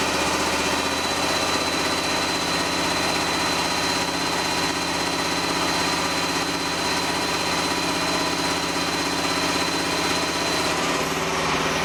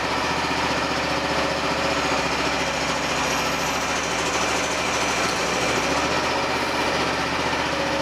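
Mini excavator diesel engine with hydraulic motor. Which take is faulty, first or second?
first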